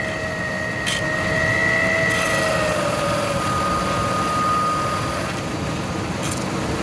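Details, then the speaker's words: 1997 Ford Expedition Eddie Bauer 5.4 Triton, cold start idle: thin high whistle drifting in pitch, not alternator or plastic intake, traced to driver's side idler pulley; stopping the idler confirms it; fix is replacing idler. "Hear the whistling? That's exactly what it is."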